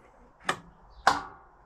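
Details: Lawn tractor with new starter, gear and solenoid gives two sharp clicks but no cranking; electrical issue, owner suspects the coil, plans to test by bridging solenoid terminals; a bad ground was later cleaned.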